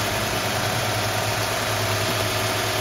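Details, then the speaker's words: Mercedes-Benz KE-Jetronic engine (W124/W126, I4/6/V8) idling high at about 1,500 rpm with a steady whistle; idle control valve letting in too much air, fixed by adjusting the idle control valve. "well I know this thing works it just it gives the engine too much air in ity"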